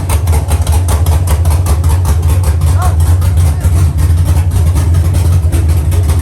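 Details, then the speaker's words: Dropped Chevy truck, cammed 5.3 V8 with Texas Speed 232/234 110 LSA cam: deep, loud choppy idle lope about two and a half beats a second on open headers, even and steady; healthy. "from here it's adding on to the motor it sounds good it sounds healthy"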